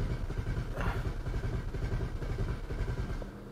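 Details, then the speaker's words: 2010 BMW 535i xDrive wagon (E61), about 3 gallons of fuel added; long steady cranking at about two beats a second without firing, fuel rail pressure about half of spec but climbing. Weak high pressure fuel pump suspected. "well it's doing stuff that rail pressure is still way too low but it is climbing come on don't want to kill the starter but we're getting somewhere"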